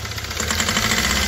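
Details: Hyundai i20 with black smoke, low pickup and injectors suspected: sharp fast metallic "tak tak" ticking over steady idle, exact source unconfirmed; engine knock at idle.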